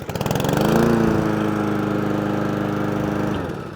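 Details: Lawn mower, switch click heard when the handle lever is pulled: fires at once and settles into a steady, even chug of about four beats a second with no coughing or stalling; normal running.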